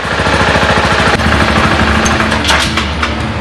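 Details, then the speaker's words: 2014 BMW G 650 GS single idling after DIY valve adjustment (one valve had been very tight): steady, even idle with quick regular thump and no stray ticking; seems to be idling better than before, healthy. "that sounds like a German machine"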